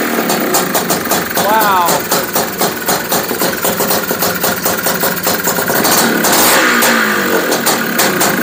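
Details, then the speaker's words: Honda Odyssey FL350 two-stroke, first start after fitting a DG Extreme exhaust, on VP racing fuel. Rapid crackling beat that sags between throttle blips; the owner thinks it is idling a little slow. "how does that sound to you guys i think it's idling a little slow though"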